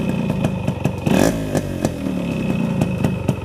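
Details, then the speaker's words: Restored Yamaha RX100 two-stroke (1985-89 model), engine not yet rebuilt: sharp irregular metallic knocks at idle and a brief rev; owner hears crank noise and thinks the piston also needs replacing, pending a full engine teardown. "Crank sound வருது. பிஸ்டனும் மாற்றணும்னு நினைக்கிறேன்."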